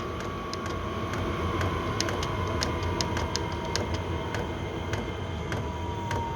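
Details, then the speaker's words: Chinese 5kW diesel heater on kerosene, turned down from 5.5 to 1.78 Hz pump rate: fan hum easing lower and much quieter, soft regular pump tick about 100 a minute; normal low-setting operation. "so now it's running at 1.78 and uh the Fan's gone a lot quieter"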